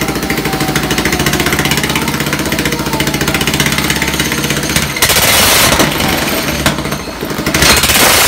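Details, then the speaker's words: Half-scale NASCAR kart, new larger sprocket, run on a crate with the wheel spinning: hard-revving small engine with rapid pulsing suddenly erupts into loud clatter as the centrifugal clutch blows apart; owner suspects an over-tight chain or rust. "whoa good thing I had all these safety goggles cuz um the clutch just blew apart that could have been from the chain being a little bit too tight"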